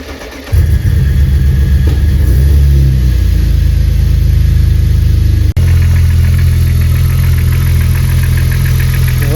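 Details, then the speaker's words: BMW E36 drift car at cold start after sitting two days: engine fires and settles to fast idle with light, uneven ticking on top; owner doubts it is the lifters, cause unconfirmed; cold start ticking. "les gars là on entend le claquement si c'était les poussoirs pour moi on les attendrait vraiment beaucoup plus ici comme ça"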